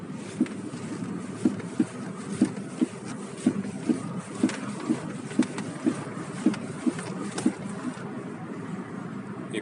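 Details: Nissan Almera Classic with original suspension, 15 years and 160,000 km. Sharp knocks about once a second with bumps, appearing suddenly on sideways car movement and over large bumps, silent on smooth roads. Owner suspects the front left; cause unknown.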